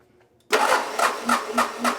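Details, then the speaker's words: Military Onan MEP-016B 3 kW single-cylinder diesel generator, non-runner, starter fed directly at solenoid: click, then slow heavy cranking with compression thump about every quarter second, fan turning, never fires; cranks but no start, fuel and injection flow unchecked. "well it cranks and doesn't sound terrible I can see the fan moving here"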